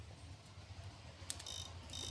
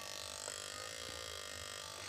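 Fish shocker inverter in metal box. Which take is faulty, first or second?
second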